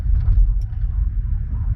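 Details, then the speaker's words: Golf with Bora front end driving home: heavy, uneven low drone and rumble, louder and rougher than a sealed system; exhaust leak from a split in the catalytic converter, not the pipe; temporary repair planned. "Uh, from what I can see, I don't know if you could see it on the video, um, the cat's got a bit of a split in it. So, that's where all the noise is coming"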